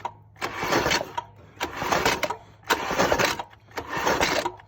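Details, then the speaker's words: Weak, sluggish starter cranking in four short bursts on a 1980s Yamaha 225DX Tri-Moto three-wheeler after PB Blaster soak; engine never catches, battery (from charger) suspected dead, causing slow cranking. "That is probably dead. Battery's dead."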